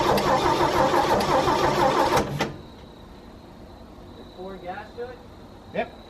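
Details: 1963 Chevy C10 pickup, sat for years in a field, first start attempt with plugs and distributor apparently changed by a previous owner, fuel tank later found blocked and a bad section of fuel line replaced: steady starter churning about three turns a second without firing; cranks, no start.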